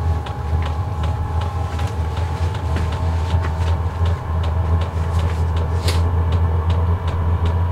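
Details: Portable diesel heater ramped up at about 45°F outside, heating a Clam X-500 ice tent: steady low hum, even air rush, only faint occasional fuel pump ticks; normal clean running, no smoke, quiet.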